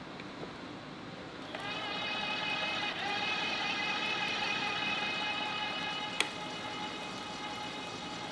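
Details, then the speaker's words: Electric tapping arm cutting a 1/2-13 thread through a 3/8-inch plate at 75 rpm in and 150 rpm out. A steady, even whine that holds its pitch with no strain; a normal tapping run. "that's at 75 RPMs in 150 RPMs out half 13 through 3 8. like it was nothing easy"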